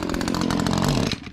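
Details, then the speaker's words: Echo two-stroke tool buzzes along at high revs, then dies abruptly within about a second as soon as it is put to work; it shuts off every time it is used, cause not confirmed. "whoa whoa whoa i said use it not shut it off that's all it does when you try to use it"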